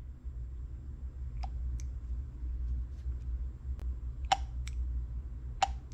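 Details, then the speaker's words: Land Rover Discovery Sport wastegate solenoid bench-tested on 12 V for overboost code P0234: two sharp single clicks about a second apart over room hum; plunger moves so not seized, though full function unconfirmed. "you hear that okay that means the insides are are moving uh it doesn't necessarily mean that it's working it just means that a part of it is working which means it's not completely locked up"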